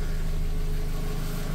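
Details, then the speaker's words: Renault Twingo mk1 at idle right after catalytic converter replacement for codes P0420/P0136 and a rattle: a steady idle with a deep, hollow, throatier-than-stock exhaust drone. Low back-pressure suggests an exhaust leak somewhere, location unconfirmed. "sounds a bit throatier than it should do um I might actually get uh a second opinion on this one or just let the soot uh build up there"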